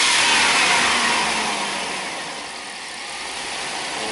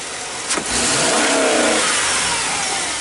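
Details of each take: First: 1998 GMC van with high idle and erratic TPS, new reman PCM, during the relearn's wide-open-throttle step with the engine still cold: revs sag and climb, probably over 4,000 rpm, with no fuel cut-off; needs to warm up first. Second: 1998 GMC van after PCM replacement and programming (had high idle, erratic TPS signal), floored: engine pulls to flat high-rev roar, then stops climbing; rev limiter fuel cut.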